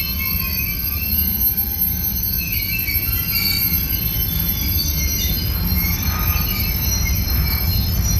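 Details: Union Pacific 6644 freight train leaving Mesa Yard after switching work: loud, high-pitched wheel squealing over rolling rumble with occasional clanks as the cars clang together, before the train stopped. Wheel squeal, cause not stated.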